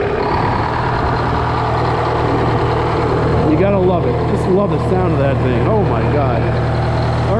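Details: GM 4-71 supercharged two-stroke diesel, about 160 HP, roughly 50-60 years old, driving a Frick sawmill, idling just after a secondary fuel filter change. Deep, steady idle with an even beat, no stumbling, birds chirping in the background; running fine.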